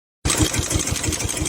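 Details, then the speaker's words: SIFANG single-cylinder diesel power tiller: chugging with a sharp knock about six times a second from the engine; abnormal mechanical noise, remedied by an adjustment. "শব্দটা খেয়াল করতেছেন, এই শব্দটা মূলত এখান থেকে হয়।"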